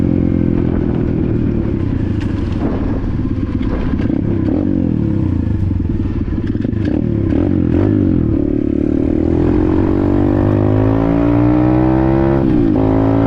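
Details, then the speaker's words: Apollo RFZ 125 X18 pit bike, after swapping the stock carburetor for a new NIBBI PE22 22 mm carb (briefly adjusted), ridden under load: small single revs up cleanly, pitch climbing smoothly with no popping or bogging; healthy acceleration. "Wow. Woke it right up. Unbelievable."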